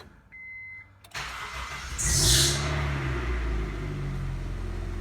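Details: 1999 Honda CR-V B20Z after valve adjustment, first start after sitting a while: brief chime, starter catches, engine fires quickly, flares and settles into a steady, even idle without knocks; normal engine start.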